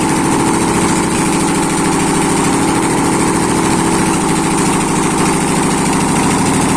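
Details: ZMZ 511 V8 engine, first start after a major overhaul (capital rebuild): an even, steady idle with a smooth regular beat and no knocks or misses. It runs cleanly.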